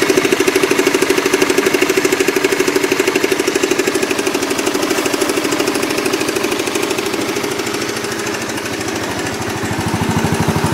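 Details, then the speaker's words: Motorbike ("Oscar") engine at idle, in the clip showing its klotok-klotok clatter, which had gone on for almost a year: a sharp, regular clatter of about three beats a second. Cause uncertain. "Yaitu video pertama di saat mesin suara klotok-klotok dan sangat-sangat jelas, dan yang kedua adalah video di saat suara klotok-klotok sudah hilang."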